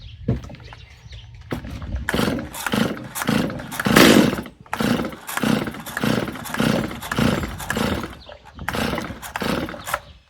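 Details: Customer's Stihl chainsaw, reassembled with its Bosch plug, started on full choke: it revs in crisp repeated blips and drops back cleanly with no bog; idle a little high but running well, needing little adjustment.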